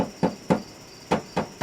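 Six sharp taps on the body, each with a short buzzy rattle behind it, point to loose internal braces.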